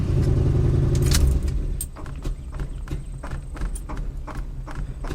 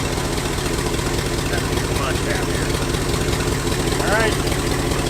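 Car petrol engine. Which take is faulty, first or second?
first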